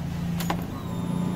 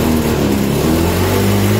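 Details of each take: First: Honda Beat scooter after new fuel pump install: steady low electric hum with a brief click at key-on, normal priming; fuel pressure now 40+ versus 20 before, old fuel filter was very dirty. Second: Honda Beat scooter at full throttle: revs climb unevenly, sag and drop instead of rising steadily; fuel filter very dirty, fuel pump weak and faulty, checked with a fuel pressure gauge and replaced.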